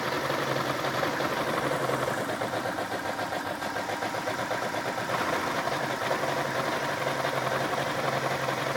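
Engine idling with an uneven, lumpy beat and slight wavering in level, no clear knock; a rough idle.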